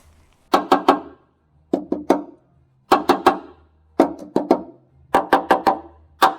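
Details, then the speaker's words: Van chassis near old air-suspension mounts: quick groups of hard taps on steel, with sound metal ringing and rust-thinned, near blow-through spots giving short, duller dead knocks. "tapping on the metal you can hear what's good and what's bad anywhere where it's basically going to blow through has a much duller sound"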